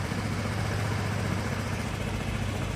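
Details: Honda Vario carbureted scooter, previously sputtering (brebet), after carburetor reinstalled and vacuum fuel hose reconnected: single ticks over at a steady low beat with no stumbles or sputter, a clean even idle; declared fixed.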